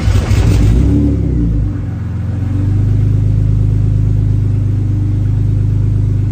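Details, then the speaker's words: Engine start just after installing a 12V fuel pump relay mod (pump heard priming): cranking runs a little longer than usual, then catches and settles into a steady, even idle; starts fine. "It's definitely cranking for a little bit longer than usual, but yeah, starts right up."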